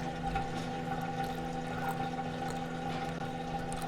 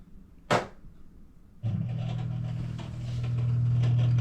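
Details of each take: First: LG front-load washer after drain pump replacement (4681EA2001T), on drain/spin cycle: steady quiet pump hum with water gushing, no grinding or rattle; normal draining. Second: LG front-load washer on drain cycle, before drain pump replacement (4681EA2001T): steady low hum about 120 Hz with no water moving, washer left full of water; failed drain pump.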